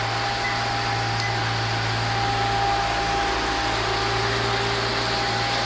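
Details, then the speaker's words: 2013 Maserati Quattroporte, 31K miles, just after start-up. Smooth, even idle with a steady low hum and no knocks, misses or ticks. Normal idle. "Engine runs real nice."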